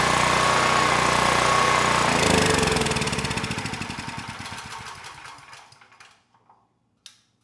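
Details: PowerStroke 6000 W generator, about 12 years old, stored outside with rusted tank and apparently muddy carburetor; started second pull, even governed running at 61.1 Hz and about 121 V, then fades smoothly to a stop; normal running.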